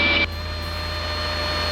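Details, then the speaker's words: Aircraft with retractable gear in descent after power pulled back too far, gear still up: steady high warning tone over engine drone, similar to a stall horn; landing gear warning horn. "So now that tone that you're hearing is the landing gear alert. It sounds a lot like a stall horn, but it's just letting me know that the gear is still up."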